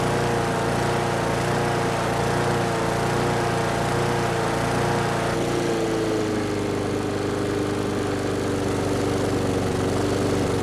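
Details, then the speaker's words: Brute mower with Briggs & Stratton Classic single-cylinder engine: drones then speed sags and settles lower instead of holding; choking the intake changed little; surging not caused by the carburetor. "Alright, so the engine's running now, but it seems to have a bit of a surging problem."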